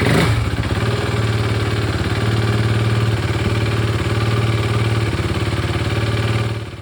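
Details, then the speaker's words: KTM RC 390 single-cylinder motorcycle after fuel pump replacement, refuelled after sitting 3 years: engine catches and settles into even, steady thump at idle, no misses or rattles; running normally. "and as you guys can see the bike has started guys this sound is like a music to my ears guys"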